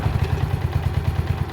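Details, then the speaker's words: Honda CG125 single-cylinder with a high-throttle running problem, after ignition component swap: crisp even thumping about nine beats a second, revving better, clean with no misses; ignition advance now correct, normal running; pickup coil or magneto suspected as earlier fault. "Already I can tell that's revving better, so let's put the strobe light on it."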